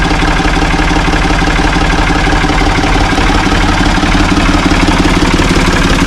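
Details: Ford 445 diesel tractor, thought to be a 1970s model, bought at online auction: steady idle at about three even beats a second with ordinary injector clatter, no misses or hard knock; it starts and runs well.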